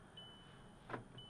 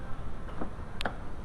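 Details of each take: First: 2006 VW Jetta 2.5L after passenger door lock actuator replacement: a single crisp clunk as all locks throw together, no buzzing or repeat; passenger door now locks and unlocks properly, no fault codes. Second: 2006 VW Jetta 2.5L, passenger door sometimes fails to lock, no fault codes; mic held close to the door: faint gear whirr from the door control module and lock clicks, some attempts barely catching; sporadic lock actuator.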